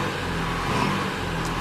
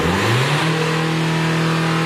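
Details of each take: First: 2016 Renault Kadjar 1.5 dCi (K9K) diesel, stationary with accelerator floored: engine labours at one flat droning note and never climbs, losing power. Restricted airflow, airflow 470 against an 800 reference, from a reversed air filter fitted at a service. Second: 2016 Renault Kadjar 1.5 dCi, complaint of not revving since a service, free rev test: diesel climbs cleanly from idle, holds high revs, drops back smoothly with no hesitation or flat spot; revs freely.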